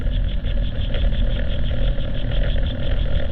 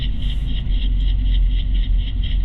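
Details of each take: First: 2016 Nissan Rogue driven at about 30 mph, heard on channel 2: heavy steady low rumble and growl from that wheel, unlike the slight brake noise elsewhere. Bad wheel bearing. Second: 2016 Nissan Rogue at about 30 mph, wireless mic on driver's side front wheel: low even road rumble, no bearing growl or hum, so this bearing is normal; slight brake noise only.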